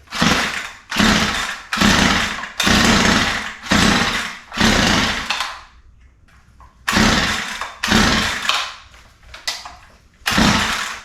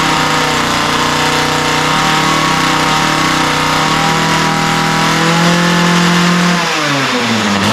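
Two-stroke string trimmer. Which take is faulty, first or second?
first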